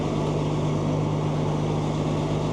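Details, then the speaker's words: Old TR96 4-wheel-drive combine, diesel, idling shortly after a cold start: a steady, even drone with no knocks or misses; it fired right up and sounds good. Normal idle. "All right. You know, fired right up. Sounds good too. This one's 4-wheel drive."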